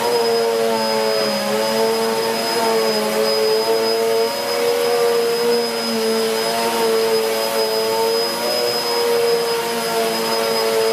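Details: 2013 Hoover Whirlwind Pet WHS2102 001 2100W bagless upright on carpet, belt refitted: steady, even motor whine with a constant high tone and brush roar, no rattles or surging. The aggressive brush roll explains the noise; running normally.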